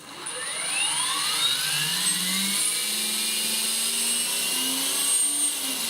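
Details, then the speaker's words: Trex 450 Pro DFC RC helicopter on Turnigy 2200 mAh 3-cell LiPo with 3GX, light throttle after repeated ESC programming-card changes: smooth rising whine as rotor spools up, no rattle or hesitation; normal spool-up. "Very nice, very smooth. just like it should be."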